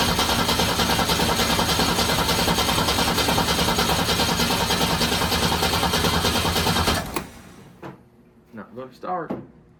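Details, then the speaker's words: Ford Torino 250 inline six with a freshly rebuilt Carter RBS 1-barrel carb, float bowl earlier filled with carburetor cleaner: starter cranks fast and even about seven seconds but never fires, flooded; spark plugs may be pulled to blow cylinders out. "start yeah she's flooded [Music] she flooded well we could pop the spark plugs out and blow the cylinders out"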